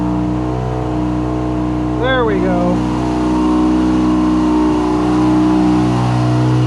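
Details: First start of a 13B turbo rotary in an RHD JDM FC3S RX-7; idle air control (BAC) not fully tuned, smoke from anti-seize burning off. Steady buzzing idle with a smooth rev blip settling back cleanly: normal rotary idle and rev.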